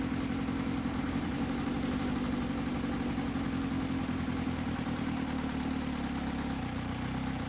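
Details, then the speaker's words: Kawasaki ZX7R four-cylinder carb balancing: after pairs 3 and 4 are balanced, the butterflies on 1 and 2 are closed down to match, and the steady idle eases to a lower rpm. "You can really hear the difference, bearing in mind that this adjustment is closing the butterflies on 1 and 2, bringing them down to where 3 and 4 are, hence the lower RPM."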